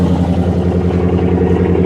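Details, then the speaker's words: 2007 Bentley Continental GT salvage car listed as a non-runner, possibly with custom exhaust: smooth, deep, even burble with steady pulses, no knocks or misses; normal idle. "oh boy she sounds almost as good as my hellcat almost as good as my camaro very interesting guys it's listed as a non-runner but she runs very well"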